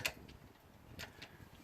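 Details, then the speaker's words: Craftsman DRM500 Yard Bug 10HP 30" riding mower: one sharp click at the key, starter never cranks; owner suspects the wrong-gauge solenoid-to-starter cable after replacing a shorting starter; replacing the battery ground and solenoid-to-starter cables and the solenoid. "this wire here is not the correct gauge so it when I try to turn it on it just clicks like this"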